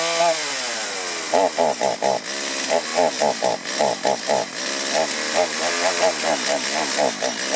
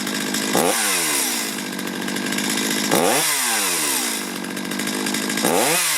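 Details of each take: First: Chainsaw before carburetor tuning: revs in choppy bursts, stumbling and bogging each time the throttle opens instead of revving clean; a poorly adjusted carburetor is suspected. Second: Two-stroke chainsaw, warmed up, after carburetor low-side and idle adjustment: snaps up to high revs three times and drops back cleanly with no bogging, normal throttle response.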